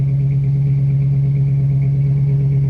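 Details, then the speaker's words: 1968 Ford Country Sedan, V8 of unknown size (360 or 390), just revived. Ignition not yet timed, plugs ungapped, one possibly gapped too small. Even, unbroken low hum with no ticking or stumble; a consistent idle: normal idle. "nice consistent idle good oh yeah she is in all her glory wooo"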